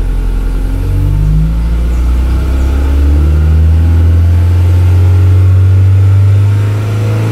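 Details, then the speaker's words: Honda Accord Maestro CB7 swapped with F22B1 VTEC engine, iridium plugs, timing adjusted, VTEC switchover set at 3800 rpm: deep revving in neutral, note hardening and climbing past the switchover; VTEC engaging normally. "vitec yang sudah on teman-teman bisa dengar sendiri ya tadi Kalau kurang kedengeran teman-teman bisa menggunakan headset untuk mendengarnya"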